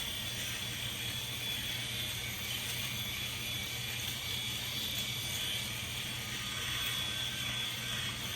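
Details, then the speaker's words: Norelco 5675 electric shaver on the neck: steady high-pitched buzzing whir with faint low hum, sound changes when cutting stubble missed by the old shaver; normal cutting. "It has a little bit of a different sound when it's cutting hair. So when you hear that, that means my other shaver didn't get it"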